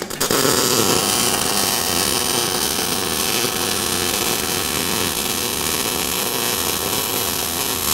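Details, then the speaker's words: MIG welder laying a bead, beginner keeping constant torch angle and distance; steady, even crackle and hiss like frying bacon at a constant level: smooth, consistent steady MIG weld. "everybody wants to look at their weld as soon as they're done that's a common mistake it looks great thanks very very good very cool"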